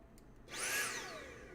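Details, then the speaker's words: Cordless tool with the trigger held: motor whirs up for under a second then winds down and dies; the faulty battery is cutting out power. "right? But I kept my finger on the trigger and it it would not go any further."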